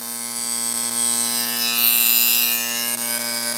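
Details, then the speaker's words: Simson/MZ ignition coil (6 V) on a Bosch spark-gap tester produces a fast buzzing spark train. Occasional skipped sparks start around 10–11 mm, clear misfires at 12 mm, and it quits at 13–14 mm; stable up to about 11 mm. "Aber man hört schon ein bisschen so Aussetzer. 11 mm, ja, jetzt geht es schon bergab, 12 mm. Jetzt gibt es deutliche Aussetzer hier."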